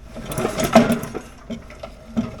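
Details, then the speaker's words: Little Wonder blower with a Briggs & Stratton engine: rattly clatter during a starter cord pull, then loose clunks as it winds down; owner fears crankshaft damage and the housing looks possibly cracked. "Has a little issue. And if you listen when I pull, you can hear the clunking in there."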